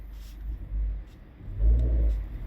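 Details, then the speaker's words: Front-wheel-drive car with 9-speed 948TE transmission, no codes and normal shifting: at a stop, low steady idle, then a heavy bang and whole-car shudder when shifted from neutral into drive; engine mount clunk, not a transmission fault. "that big bump yes guys this whole car vibrates when you throw it in gear wow now see i'm slightly on the gas i'm in neutral let me throw it in dry yeah big old bang all right guys that's similar to uh engine support or motor mount"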